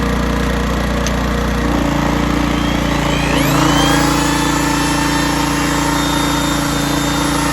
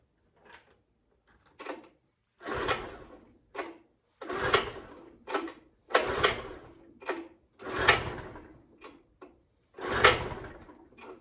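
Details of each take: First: 1980s Honda generator with hard-starting fuel issues, under load after carburetor mixture screw leaned out about two and a half turns: steady even drone, no surging or hunting; tuned between too rich and too lean, running well. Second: 1980s Honda 650 generator on a truly cold start with the choke on, before carburetor mixture adjustment: about ten quick recoil pulls with no catch or run; hard starting, likely fuel-related.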